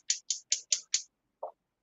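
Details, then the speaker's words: Gas stove igniter: five sharp ticks about five a second, then silence with no flame catching; the burner won't light, owner suspects an empty gas bottle or a faulty gas jet. "I think my gas bottle might be empty. I'm just trying. We have a backup bottle. Take your time. You can probably hear it clicking."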